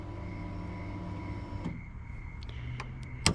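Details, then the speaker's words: Honda CRX drag car, key on, newly installed Moroso battery on/off switch flipped on: faint steady hum about a second, then relay clicks; fuel pump priming normally as power comes on. "The key is in the on position. Right now it is off, and I'm gonna kick it on. You'll hear the fuel pump and all the lights light up over there,"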